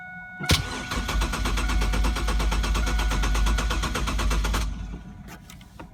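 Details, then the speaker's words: 1999 Chevrolet Camaro 3800 Series II V6, 5-speed, twin-turbo build, first start attempt: starter turns over steadily about three and a half times a second for four seconds without catching; crank no start, cause unknown. "I mean I tried cranking a couple times two times out of the few times I tried crank and it did like spud like it wanted to start"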